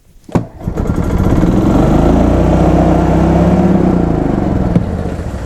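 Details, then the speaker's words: 2004 Club Car Precedent gas golf cart, single-cylinder, cranked, caught and climbed to a flat capped speed at full throttle, hitting the rev limiter before pedal release and shutdown; governor out of adjustment, holding it at the limit. "so it hit the rev limiter I shut the guy let off the pedal and shut the card off"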